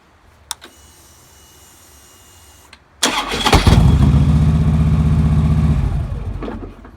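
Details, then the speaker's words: 2009 Harley-Davidson Road King, first start after replacing the starter clutch to cure a horrible starter noise. Clean crank catching within a second into a steady rumbling idle, no metal-on-metal; one start hesitated: starter engaging far better than before. "First one sounds really good. Second one, there was a hesitation, but there was no actually metal on metal. Wow, that sounds pretty good. So far, that's 100 times better than it sounded."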